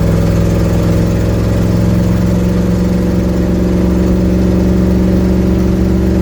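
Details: 1972 Ford Mustang driving home, phone in the dash, before repair: engine pulls with a heavy, blatty low roar and rough puffing rasp rising with load, from an exhaust leak.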